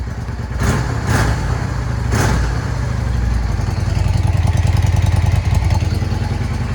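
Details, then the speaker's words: 2006 Yamaha V Star 650 (XVS650) V-twin, first start after OEM fuel pump install and fuel tank flush: a few sharp blips settle into a steady, low, even idle with a regular lope, no knocks or misfires; healthy. "It's running like a top."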